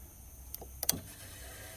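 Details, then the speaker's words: Alternator 80 amp main fuse blown, power on one side only; quiet background, then sharp clicks and a short hiss as the fuse is jumped across and a circuit switches on, confirming the failed fuse. "so that disaster there is actually the alternator 80 amp fuse so if we come down here we see we have power right there now on the other side we have nothing"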